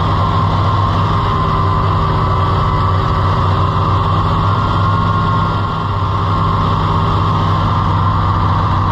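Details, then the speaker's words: Farmall IH 560 tractor, overhauled and bored about four years ago, timing changed by the owner; a heavy, low idle with an uneven beat and an occasional dropped pulse. It is missing at idle; an intake-side cause is suspected, not confirmed. "The exhaust, it wouldn't miss like it's doing unless it was like on the intake side."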